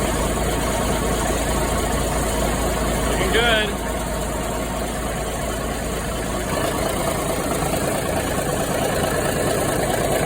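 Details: 1973 Ward LaFrance fire truck, Cummins turbo diesel and Allison PowerShift, after coolant leak repairs and a long spell on the charger: even, low diesel clatter at settled idle with no misses, knocks or surging; running healthy.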